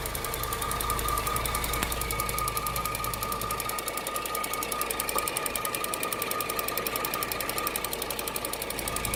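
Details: 2008 Cadillac CTS AWD after timing chain replacement, at idle: light irregular ticking about two per second over a smooth idle with a faint steady whine; abnormal top-end tick.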